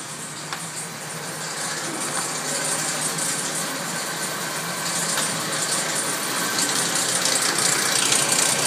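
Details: Nissan 240SX engine: light metallic rattle ticking about three times a second over a steady idle, mostly in the upper range; source still unidentified.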